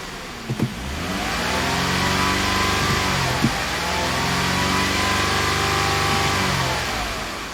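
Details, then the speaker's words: 2005 Ford Freestyle 3.0 L after misfire repair: engine revs and settles smoothly with an even note, scan tool showing zero misfire counts on the previously misfiring cylinder and check engine light off; fixed. "so the vehicle runs really smoothly and as you can see we no longer have misfire counts especially on this cylinder right here"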